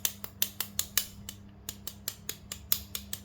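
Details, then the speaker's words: Scooter CVT with the engine off: sharp, dry, uneven metallic ticks about two to three per second from a loose riveted cover plate knocking on the clutch bell, heard mainly when riding slowly; fixed by gluing the plate. "ya suara berisik ya jadi ternyata penyebabnya itu ini ya ya dari plat ini ee bertabrakan sama ini ya waktu jalan pelan khususnya ya"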